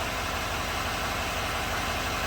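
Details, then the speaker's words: 2017 GMC Sierra 2500 HD 6.6 L Duramax diesel idling with steady, even clatter on all cylinders after replacing the cylinder 7 injector connector that caused misfire code P021A; misfire counters zero, fixed. "beautiful all right we'll take the screen for a road test I still got to put the right in the fender skirt in there and the wheel well trimmed back on and the mud flap back on the right side but it appears that this thing is fixed"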